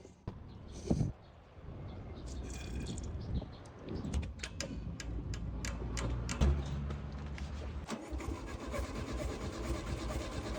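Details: Volkswagen dune buggy air-cooled engine, abandoned long near the beach and badly rusted, with acid-burnt carburetor, restored with coil and lines reconnected: after clattering and cranking it catches near eight seconds and settles into a steady, even idle.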